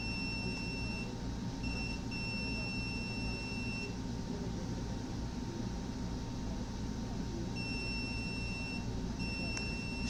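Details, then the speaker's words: Samsung PN58B550T2F plasma TV power board (turned on then off after a loud pop), multimeter continuity test: steady high-pitched beeps as probes touch, conducting both ways. Two shorted diodes found, one an FCF10A40 (10 A 400 V). "so this one yeah these two dutes are [Music] short yeah I find two diodes this ones here and this Stoner board"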